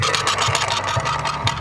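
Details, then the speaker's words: Bow axle, rolled on a flat surface: light rolling rumble with a dull thump about twice a second, once per turn; a bent axle, also visible as it rolls. "And you can also see it when it's rolling. Definitely a bent axle."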